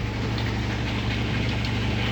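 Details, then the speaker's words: General Electric top-load washer after fixing a scraping noise (a panel that gets pushed inward and rubs): steady even low hum during the wash cycle with no scraping or rubbing, noise gone. "les tacharon es funcionando se acabó el ruido se acabó el ruido"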